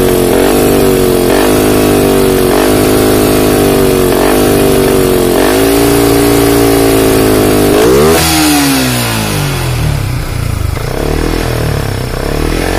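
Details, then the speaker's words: Yamaha Vixion New fuel-injected motorcycle: held revs dip about every 1.5 seconds then sag hard as if about to stall at mid-high RPM; weak battery starving injection, fault code 46 stored. "tapi kalau sudah kita naikkan segini nah Kara Lala cepet-cepet ya kayak mau mati ya"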